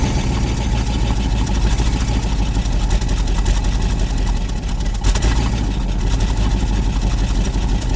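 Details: Old carbureted truck running from its tank on fresh gas after sitting; microphone placed near the exhaust. Low, steady exhaust rumble with an even beat and no misses or knocks; it idles smoothly on its own.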